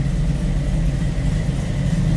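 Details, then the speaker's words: 1929 Ford Model A street rod, 283 V8 with three deuces, Edelbrock intake, roller cam, 700R4 automatic, idling: steady, even low rumble with no misses, knocks or ticks; smooth, healthy idle. "Oh, listen to this. Sounding good."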